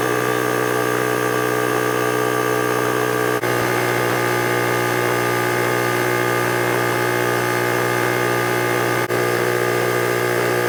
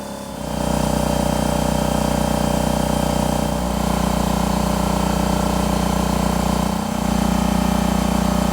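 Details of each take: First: Husky 33-gallon air compressor before repair: the motor keeps droning at a steady pitch past its 150 PSI cut-out to around 152 PSI, until switched off by hand. Faulty pressure switch not opening. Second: Husky 33-gallon C331H air compressor after replacing the faulty pressure switch: steady even motor drone with a regular pump beat around three per second. It runs normally and cuts off at the proper PSI.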